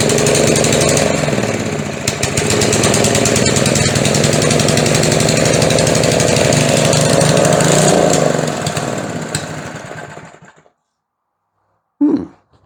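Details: McLane edger with carburetor issue, choke eased back a little: holds loud buzzy high speed then sags and dies with brief restart burst, either wide open or nothing; linkage suspected, carb diaphragm later replaced.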